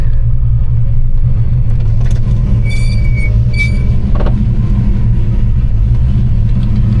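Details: 1993 Ford Mustang GT Fox body with cammed V8, started cold after sitting; deep, lumpy low rumble with uneven cam chop at cold idle, healthy strong-running engine; normal idle (separate issue: worn clutch cable to be replaced).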